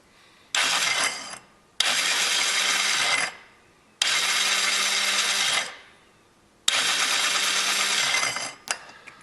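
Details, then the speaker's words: 2004 Yamaha Zuma 50 no-start, cover off, starter button pressed: four bursts of high whirring as the starter gear spins freely without engaging the drive. Likely cause was an improperly assembled conical washer on the starter clutch. "Something doesn't seem quite right there."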